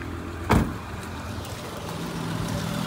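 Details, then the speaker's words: 2003 Honda Odyssey 3.5L V6 idling with all ignition coil packs connected: a brief click, then a low, steady hum with no stumbles or shaking. Idling smooth. "it's nice and smooth the engine is not shaking"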